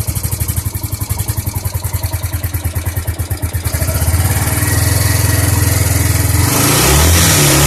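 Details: Suzuki GZ 250 single-cylinder motorcycle after carburetor cleaning, started on full choke: steady thumping idle, then slow, uneven climbing revs – hesitant revving, though it now revs where before it would not; valves quieter than before.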